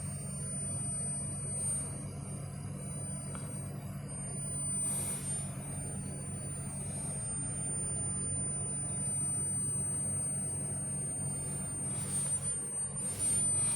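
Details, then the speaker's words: Servo on a flying shear model with homing and crawl speed slowed to 10 Hz, drive switch left off so no motion: faint steady high-pitched whine over a low hum while nothing turns. "I can definitely hear the whine, but I'm not sure if it is like."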